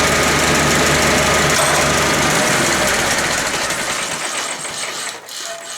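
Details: International IH 354 tractor after fixing a wire and cleaning points reset to 14 thou; hard to start at first, then even steady beat for 3–4 minutes with no misses or sputters, normal running after ignition fix.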